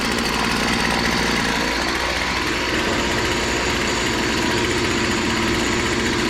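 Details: BC 2500 LE two-stroke weed eater, run after a loose head (lost compression) and a kinked primer line were fixed, no carb cleaning needed: buzzy, steady, even idle with no stumbling or surging; normal idle.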